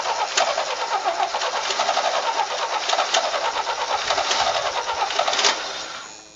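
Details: Vintage Toro golf-green tractor mower, later an airport tug, carburetor leaking, started on jumper pack; small engine chuffs along at about four beats a second, cuts off, then runs again with no knocking; normal running.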